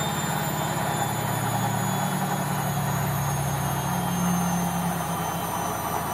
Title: Logik L712WM13 Cottons Intensive 40 Final Spin With Bad Bearings